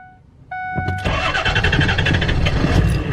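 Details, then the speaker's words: Diesel truck that died while driving with a relay clicking: two chimes, then cranking with an uneven chug about three times a second that never settles into a clean idle; crank no start, owner suspects a relay or fuse, unconfirmed. "What the hell, dude? Why is it having so much trouble?"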